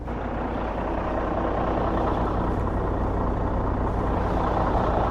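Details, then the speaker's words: Volvo truck diesel started cold at about -40°C after standing: steady, even diesel clatter at idle with no misses or knocks while warming up; normal cold idle. "कैसी लग रही है आवाज इसकी? ठंडा पड़ा हुआ है ट्रक।"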